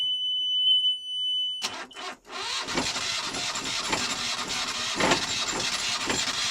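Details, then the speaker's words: Newly installed Yanmar 2GM20F diesel in a Prout catamaran, water pump primed, first start: short crank, then it catches and settles into a steady, even diesel clatter with no knocks or squeals; up and running, healthy. "Just got the engine running. Double rainbow there. Yeah, we're up and running. Up and running."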